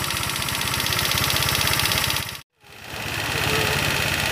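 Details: Old Honda Vario 125 scooter, reportedly after a full rebuild, idling; a light, even clatter ticks about four times a second over the engine note. Loose valve clearance, so the tappets need adjusting.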